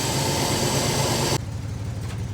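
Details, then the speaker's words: Carbureted engine idling after carburetor and distributor adjustment: a steady, even idle with a smooth low pulse, no hunting or misfire, and some hiss; doesn't sound bad, though a loose rattle inside the muffler is suspected. "all right let's see what she sounds like right damn [Music] she don't sound bad"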